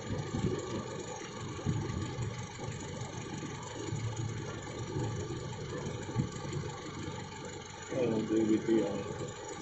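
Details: Toyota Innova petrol engine type 1TR idling rough with an uneven, stumbling beat about three per second instead of a steady hum; engine misfire, cause suspected, not confirmed.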